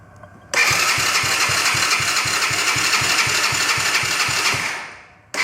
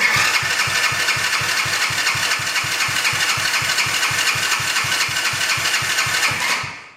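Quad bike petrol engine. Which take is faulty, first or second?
first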